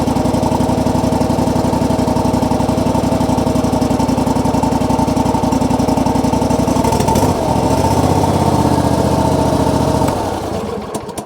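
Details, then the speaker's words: John Deere GX255 with 22 hp Kawasaki engine, previously sputtering at idle, after an oil and filter change, new NGK plugs and dielectric grease on the boots: even firing at a settled idle, running smoothly, then shut off. "Foot on the brake to start. We shouldn't need any choke. Maybe we do. Already sounds like it's running more smooth."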